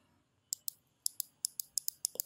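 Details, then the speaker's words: DragonWar Thor ELE G9 gaming mouse button switch, worn and double-clicking, after adjusting button spring tension above the notch, tested by pressing with a screwdriver: crisp sharp single clicks, no chatter or bounce; normal switch click. "you can test the click just take your screwdriver or whatever and push on this part you can you can feel the click and you can probably hear it too"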